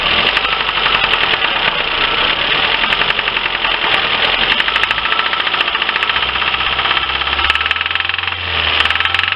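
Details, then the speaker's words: Lifan car engine at idle: fast, even, sharp metallic ticking knock; acoustic diagnosis points to cylinders two and three, with increased smoke and heavy oily plug deposits suggesting worn oil control rings; cause not confirmed. "lifan это проблема штук двигателя делаем диагностику акустическую скота скопом показывает штук во втором-третьем себе не давали"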